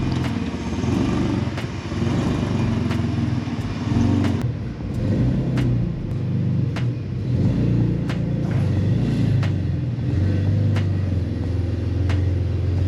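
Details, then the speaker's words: Rough project car at idle and moving: very loud, raw, rumbling exhaust with sharp ticks popping through; owner suspects a huge exhaust leak, unconfirmed. "There's like a huge exhaust leak, it sounds like. So I wanna get that figured out."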